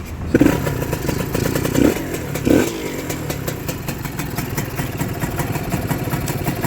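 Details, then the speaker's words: Honda NSR (square-headlight) two-stroke, engine reportedly freshly rebuilt with new gaskets but parked several months: starts easily after a few kicks into a steady crisp idle, slightly raised, quiet with no knock or whine. "เดี๋ยวผมตั้งเร่งมันนิดนึงเครื่องยนต์เงียบกิ๊บครับน่าจะฟิตมาใหม่แหละ"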